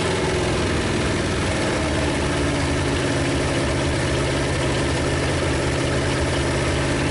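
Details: 1956 Studebaker Golden Hawk V8 on first start: low, even, slightly rough idle rumble, all cylinders firing, no knocks or rattles. Smoke is PB Blaster on the manifolds. Owner thinks it just needs running and plans compression tests and probably a valve check.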